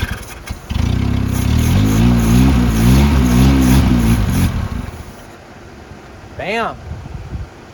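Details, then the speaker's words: 1977 Honda CVCC, first start in 11 years after swapping the stock CVCC carburetor for a Weber 32/36: catches and revs loud through a cut-off straight pipe, picks up cleanly, runs evenly with no misses or knocks; normal running. "good it's a tad bit loud because uh we're just running a straight pipe the eight pipe ends right there and the exhaust is cut off"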